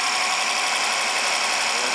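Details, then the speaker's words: 2014 BMW 650 with N63 engine after timing repair and two new injectors, first start: steady, even idle with a smooth mechanical hiss and no knocks, ticks or misses; normal idle. "brought back to life no weird noises"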